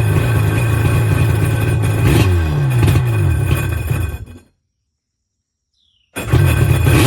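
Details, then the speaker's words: 1996 Tigershark jet ski two-stroke, bought non-running, first crank on its own fuel after new gas and fuel lines reconnected: revs up and settles cleanly, stops, restarts and runs steady without misses; runs good. "[Music] Yeah, runs good. About ready for water."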